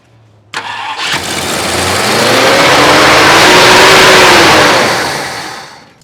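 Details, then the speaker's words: 1966 Ford Country Sedan after an engine overhaul, carburetor bowls filled with fuel: long, steady cranking with a rising whirr that swells and fades, never running on its own. They suspect the ignition isn't getting 12 volts or the timing is off. "you know what though it really does uh seem like it's not getting 12 volts but yeah I'm also wondering if your timing where your timing is can't be that far off should be uh close enough to"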